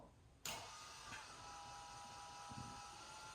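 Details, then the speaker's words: HMMWV Humvee Duramax LBZ swap, key on, engine off: the newly installed FASS lift pump comes in with a steady electric whir and holds, priming fuel normally. "you hear the pump is definitely running push some fuel up in there"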